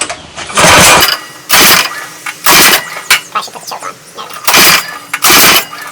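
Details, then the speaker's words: Manco Black Fox go-kart, elevated, throttle mashed to recreate a bog: engine roars in short bursts about once a second, stumbling rather than pulling cleanly; bog on acceleration, owner unsure whether the exhaust, with the small carburetor, is to blame. "And then we're going to, mash down on the accelerator there and see if we can recreate that bog."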